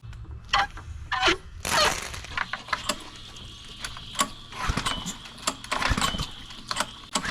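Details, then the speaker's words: Ryobi 3200 PSI 196cc Kohler pressure washer after replacing camshaft with old-style decompression part, having had pull-cord snapback on compression stroke despite valve adjustment: small single-cylinder engine hums evenly amid handling clatter, running healthy. "At the beginning of the video, I couldn't even get it to turn over, let alone start up and run. So in my eyes, this was a success."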